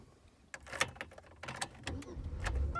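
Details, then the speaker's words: 2001 Buick Century after fixing the faulty idle air control valve: the engine cranks briefly and catches within about two seconds on the first crank, with no gas pedal needed as before; a clean, normal start. "right up wow all right well looks like we solved the problem it was the idle air control valve gone bad"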